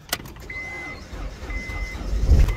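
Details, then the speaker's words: 2005 Honda Accord with 206,000 miles that had sat for years, started after cleaning the battery terminals and using a jump box on boost. A short crank with door chimes, then it catches and settles into a steady idle; it starts and runs. "holy holy we're back in the game boys I did not think that was gonna start like that no way in hell"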